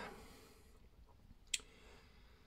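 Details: RockShox Super Deluxe rear shock pushed slowly by hand with no air can: two isolated dull clunks; knocking traced by elimination to the damper circuit, not air or the IFP; original piston with light compression tune suspected, Hot Dog high-flow piston a possible fix.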